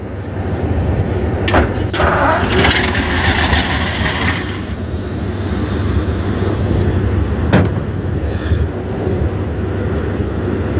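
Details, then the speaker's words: 1950 Ford F5 truck with a flathead V8, 53,065 miles, sat over 20 years, cranked on 12 V with a wire jumped to the coil and flushing oil in: steady rhythmic churning with even compression pulses; turns freely, not seized. "Well, it turns over, that's a plus. Suppose we'll get lucky and the points actually will work."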